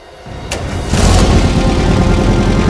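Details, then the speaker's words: Used VW T25 1600cc twin-port CT-code engine, first start on simple wiring after carb blowback on the previous try: brief crank, catches, steady even low idle, no knocks or misses; sounds healthy. "yeah yeah yes that sounded pretty healthy so there we go"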